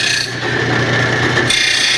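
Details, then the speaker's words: Rotary mower blade on a bench-top stone blade grinder: steady harsh grinding rasp that thins and lightens as the blade, once jammed into the wheel, is pulled in by the wheel direction, giving uneven contact and grind. "one thing um still grinding with the wheel like this it's still trying to pull it in which is kind of making it hard to get it even grind across here it's wanting to pull in right here see that"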